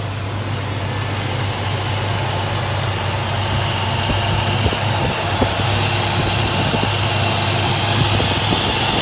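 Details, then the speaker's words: Chevy S10 with carburetor, still flooding slightly, after vacuum leak fix; warm engine at steady even idle around 950 rpm, regular exhaust pulse, no stumble or hiss, normal idle. "So we're idling right here, right about where we're supposed to be, about 950."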